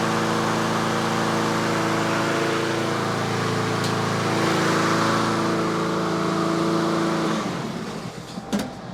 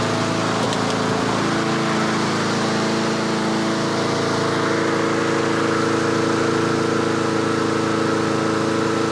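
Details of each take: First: Yard Machines/Yard-Man (MTD) 21-inch self-propelled push mower in for tune-up, warming after start, about 3300 rpm set speed: steady even drone holding one speed about seven seconds, no misses or surging, then winding down; normal running. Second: Yard Machines/Yard-Man 21-inch self-propelled push mower in late-fall tune-up, just started and choke off: fast single-cylinder running with slight hunting rise and fall in speed; surging while still cold until warmed.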